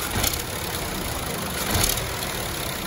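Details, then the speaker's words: Renault/Dacia TCe 1.0 (H4D) turbo petrol, heard near the rear of the engine: faint light metallic ratchet-like rattle over idle, occurring on start-up and when easing off the throttle, caused by play in the turbo wastegate rod. Turbo wastegate rod rattle. "Es posible que al soltar el pie del acelerador oigamos en el motor un ruido metálico como de carraca."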